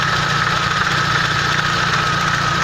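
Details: Euro 3 engine at steady idle: faint, rapid tapping with a thin ringing note above it; knock from a broken timing sprocket.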